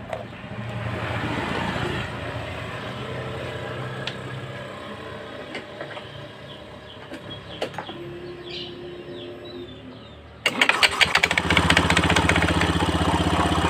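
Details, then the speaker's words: Honda Beat FI scooter after CVT repair: engine starts into an even, steady, smooth idle with no rattle from the drive side; earlier harsh idle noise traced to worn clutch plate linings, now fixed. "ini teman-teman sudah suaranya sudah halus ya jadi ee motor ini teman-teman bisa buka ya ya Ini motor ee jadi ini suaranya sudah halus dan permasalahannya cuma hanya di ring plat eh ring plat kapas gandanya ya"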